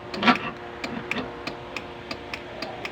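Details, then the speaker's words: Honda Wave CX 110 motorcycle, ignition on, push start pressed: sharp evenly spaced relay ticks with no cranking due to weak battery; sound suggests something rubbing in starter; kick start still works. "lumalag tik na lang yung relay dahil mahina na ang kanyang battery pagka tumunog naman So parang iba yung tunog mga mga idol parang may sumasayad sa starter"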